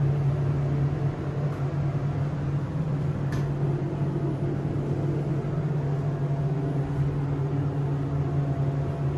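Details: SEIM screw pump on a hydraulic elevator modernized a few months earlier, two stops, heard in the machine room; loud steady low hum with rushing mechanical drone at one pitch, very noisy — loud pump noise.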